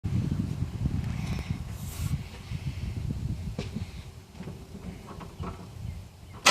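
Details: Engine cranking with old fuel pressure regulator fitted, rail pressure leaking from 53 to 50 and holding, recorded after sitting over an hour: low, uneven chugging for several seconds that never catches; crank, no start.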